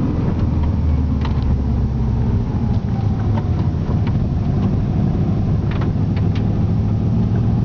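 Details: EJ20G engine at wide-open throttle under boost: loud, ragged low rumble with puffing and no power; a holed piston gave zero compression in one cylinder and an extreme exhaust leak.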